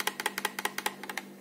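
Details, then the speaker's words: Cheap Wavlink USB 3.0 enclosure holding a thin drive, shaken by hand: dozen sharp light clicks in irregular bursts as the drive, with spare room inside, rattles loose in the case. "i've got noriko hard drive enclosure that i use with this seven mil drive and i like it but it does rattle around and so does this one a little bit you can kind of hear that"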